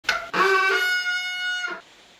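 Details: Front disc brake on a Ragley Big Wig bicycle producing a loud, steady honking howl while barely slowing the wheel; worn rotors and pads.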